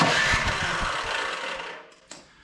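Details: Older Craftsman MTD-built snow blower with good spark: a few seconds of cranking churn that dies without catching; carburetor blockage suspected, fuel starvation no-start.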